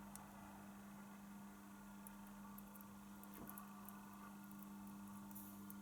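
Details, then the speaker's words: Realistic LAB 280 belt-drive automatic turntable, second hand, left channel weak and noisy: faint steady hum under quiet hiss with no rhythm, motor noise leaking through to the cartridge; owner suspects electromagnetic induction into the wiring. "I don't know how much you can hear the noise that is coming from the from the engine from the motor sorry"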